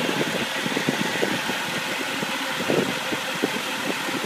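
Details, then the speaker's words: 1990 Mercedes 300SE, 3.0 straight six, warming up with temperature gauge rising, slightly low on power: dense, even idle with a light ticking layer, no stumble or vibration, runs like a sewing machine; normal warm idle. "so the temp cage is coming up and i'll show you the blow by again like a sewing machine when it gets running no vibrations"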